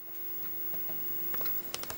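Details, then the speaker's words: 1969 Kriesler P117 black-and-white TV, switched on and listened to for rattling: only a low steady transformer hum with a few faint ticks and no rattle; normal. "hum from the um transformer with a little bit of noise from you yeah it's not actually rattling"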